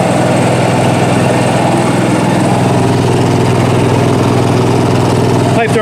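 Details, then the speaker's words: Newly installed Onan 5500 RV generator under a 1976 GMC Motorhome, running after start: steady, even low hum from the exhaust side with no misses or surging; runs smooth and very quiet. "now it's running and it's underneath here you can barely even hear it"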